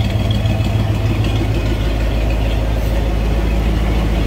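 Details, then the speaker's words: 1993 Ford Bronco just started after reassembly, oil still circulating; low steady idle with even pulse, no knocks or misses, sounds great; normal idle. "running she's doing good sounds great probably need a litter run for a little bit that oil all going around"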